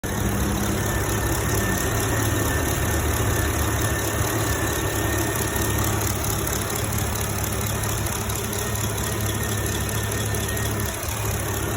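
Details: 2011 Chevrolet Camaro SS V8 at idle: a light, uneven tick sits in the rumble and exhaust hiss. The owner fears a bad lifter, also suspects failing fuel injectors, and doubts claims that it is normal. Cause unconfirmed.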